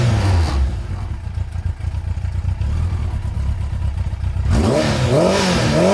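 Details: Motorcycle with fairing and new exhaust, partly warmed up: clean rise and fall of revs through a deep exhaust note with light fairing panel rattle; engine pulls smoothly and sounds healthy.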